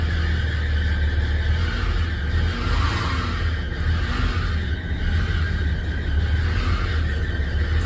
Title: 1811-THZ 1811 on the 662 failing to start and loud noise from engine